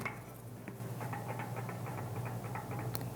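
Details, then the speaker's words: Bicycle hub on an axle vise after cone adjustment was loosened too far gives light, uneven clicking knocks about four a second over a low hum, from too much bearing play. "you hear that knocking too loose i overshot way overshot so we're back to the jiggles not good"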